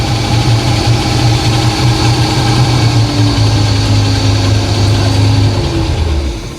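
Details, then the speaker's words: Project boat at the water, fuel poured down the carb and primer pumped: uneven lumpy idle with wavering beat, then sags and dies; owner says it is still trying to prime itself. "She died. Okay, it still needs some It's still trying to prime itself."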